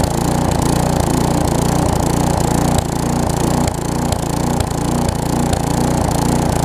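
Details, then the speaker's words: Tecumseh vertical-shaft engine on a weed trimmer after carburetor replacement, full throttle with the trimmer engaged under load: steady, even beat; the earlier no-load surging smooths out. "you can hear it doing that but i don't know if i can show it to you whenever i engage it you see how the throttle smooths out"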